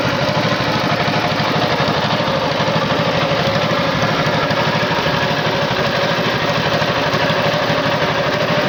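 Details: Tow-behind flail mower's Wisconsin TJD 20 hp inline two-cylinder engine, battery iffy, test-cut grass fine: even, steady chug at constant speed, no skips, knocks or hunting; sounds healthy.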